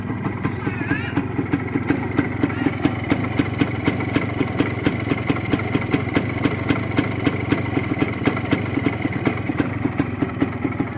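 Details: Original Suzuki TS 125 two-stroke single, all-original parts, electrics working: crisp, even popping at a quick steady beat, the ring-ding settling into a clean idle; normal.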